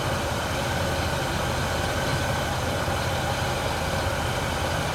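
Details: Engine idling fully warmed up, recorded from the front of the engine: a low, slightly uneven rumble. The owner asks whether there is a misfire, but no clear miss stands out, so a misfire is unconfirmed.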